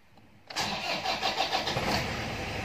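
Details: Toyota Hilux 2KD diesel with code P0488 cranks in cold-morning conditions with a steady chug about six beats a second, slow to catch; check-engine light on, engine weak and heavy on throttle; suspected throttle-body wiring fault.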